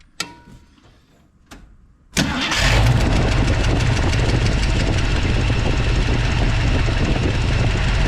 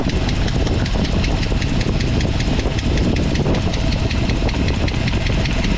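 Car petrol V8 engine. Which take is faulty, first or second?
second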